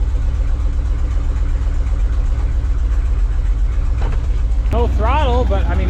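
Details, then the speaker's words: Ford dump truck bought at auction for parts-unseen revival, fuel added after repairs: starts in half a crank with good oil pressure, steady low rumble at idle with even firing, no knocks or misses. "idling man that thing runs [Music] good half a crank and Pops right off"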